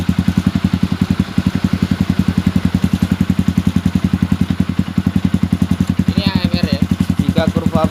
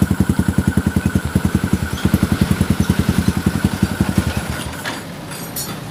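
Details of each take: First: Modified Yamaha Xabre/Vixion after cleaning injector, fuel pump filter and throttle body and soldering broken O2 sensor wire, warm near 80°C: steady single-cylinder idle thump about three beats a second, no stumbles; lean stalling idle fixed. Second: Yamaha Xabre fuel-injected motorcycle: uneven stumbling idle pulses two or three a second that falter and die, stalling on slight throttle; lean, AFR over 16:1, from dirty injector, fuel pump filter and throttle body plus broken O2 sensor wiring.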